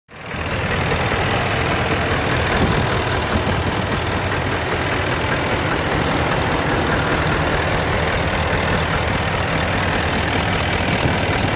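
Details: Hot Ford F250 at high idle, no smoke, cylinder 5 imbalance code: rough, uneven beat with a buzzy edge from one weak cylinder; back pressure pulsed through the intake pipe; cause was a cracked intake valve.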